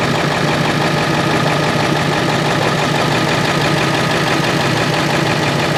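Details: Ford 7.3 Powerstroke diesel after its oil cooler was resealed, with oil and coolant changed and air still being bled from the cooling system. Loud, steady diesel clatter at idle with an even rhythm and no misfire or stumble; the engine sounds healthy.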